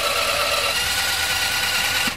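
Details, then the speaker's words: Italika TRN150 scooter; harsh, high-pitched squawking whir while cranking, like a hen, with a steady shrill tone; starter motor worn out and near failure, though a bendix fault can sound similar. "igual ese ruido que escuchan como gallena eso eso es la marcha que ya está ya está dando las últimas"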